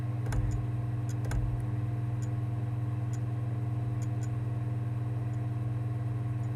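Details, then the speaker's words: A Sony PSX DESR-7000 with a freshly fitted Matrix Infinity modchip: low hum with scattered clicks and ticks and no spin-up. The KHS-400C laser struggles to focus and fails to detect the disc. "the clicking on the ticking is not what it should be doing at this point it should have detected the disk by now and started to spin it up you can't hear it spin it's struggling trying to focus on the disc"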